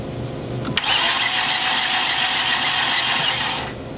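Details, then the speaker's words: Engine cranking with spark plugs out and a vacuum gauge on the PCV port: fast, even starter spin with no compression pulses or firing, no vacuum and zero compression; broken timing belt. "can see that creating no vacuum now we took the spark plugs out because we wanted to see what compression really was as well we had zero compression on three"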